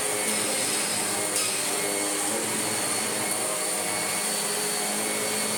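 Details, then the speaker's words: Kirby G5 vacuum after full refurbishment with all-new genuine parts (belt, brush roll, bags), first switch-on: smooth, steady high-pitched motor hum holding pitch, no grinding or rattles; normal running. "Here we go then, let's see if we have transformed this old tired tatty Kirby into an old tatty not tired Kirby."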